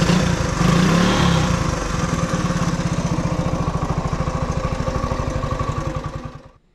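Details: Honda ATC 90 single-cylinder engine running after sitting 50+ years, carburetor sandblasted and valve clearances checked: even, steady idle with regular firing pulses, then shut off and dying away; normal idle.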